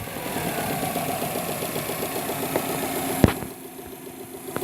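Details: 2008 Subaru WRX, about 115k miles, steady sharp knocking ticks over rough idle right after start-up, deep bottom-end knock; owner suspects rod bearing failure, not confirmed.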